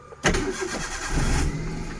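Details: Maruti Alto with no-start (no check-engine/immobilizer light), started after shorting the two copper relay pins: brief crank catches at once and settles into a steady, even idle with no stumble; engine starts cleanly.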